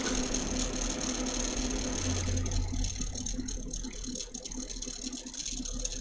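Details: Custom watercooled PC (MSI Z390, i9 9900k, 2x RTX 2080 Ti Sea Hawk, EK RGB fans): fast buzzing rattle, about four per second, over steady fan hum; a fan rattling, cause suspected, not confirmed.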